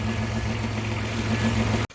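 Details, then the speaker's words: 2006 Chrysler Town & Country van idles steadily with a low hum after alternator replacement; earlier bad alternator whine gone, new alternator producing 14.4 volts. "alright so there's the new alternator in there you can tell it's not whining anymore"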